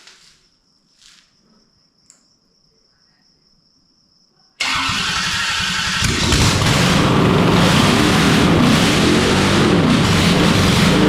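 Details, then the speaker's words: Junkyard turbocharged Holden 253 V8 in an HQ, first start after build, fuel leaking beforehand: catches first try, roars loud and raw, rough and uneven, unsure how many cylinders firing, flames popping; owner suspects lean from improperly filled fuel bulbs. "Oh my god. I don't know how that sounded on the camera, but it was pretty loud. And I don't know. Not sure how many cylinders it was running on, but it looked pretty good."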